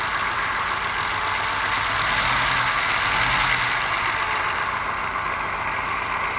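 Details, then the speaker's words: Mini Moke engine on a bench test: idle with a steady stumble about four times a second, missing on one cylinder; compression excellent, no smoke, owner suspects carburettor mixture. "I've got a miss on one cylinder. I'll see if I can find out which one it is."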